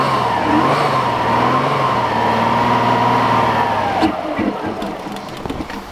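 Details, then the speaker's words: 2000 Subaru WRX GC8, sat untouched 11 years, fuel fed into the intake manifold: catches and runs steadily about four seconds, then dies; likely only manifold fuel, fuel pump suspected; oil pressure up, no slapping. "I think that was basically just the fuel that was in the in the manifold"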